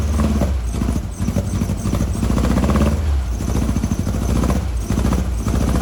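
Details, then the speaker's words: 1956 VW Bug flat-four with replacement 40mm IDF-style carbs, driver's-side carb adjustment screws disconnected so only the passenger-side carb feeds it: lumpy, uneven low chuff with a stumbling beat, running poorly on two cylinders. "well she's running she ain't running good and i don't really recommend doing this but just for example i still have nothing going on on any of the adjustment screws over here on the driver's side carburetor"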